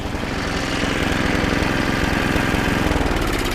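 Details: 25-year-old snowblower, first pull start after diagnosis, rebuild and carburetor setup; small single-cylinder engine putters at steady even beat, no misses or surging; normal running.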